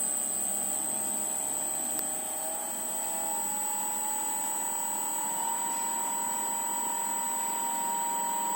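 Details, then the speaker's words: Motor connected to a repaired frequency drive (control board replaced), running: piercing steady whistle near 8 kHz over a lower tone that slowly rises; high-pitched whistle from drive and motor. "Обращаем внимание на свист. Видео записывается для того, чтобы услышать этот чудесный свист. Кстати, у них Свистит знатно."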